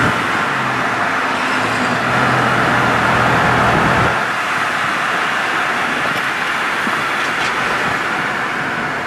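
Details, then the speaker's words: Vehicle driven daily, idling outdoors on the street: fairly steady puffing tick about four times a second over traffic noise; exhaust leak, owner says it just needs exhaust work. "It got an exhaust leak. Sounds good."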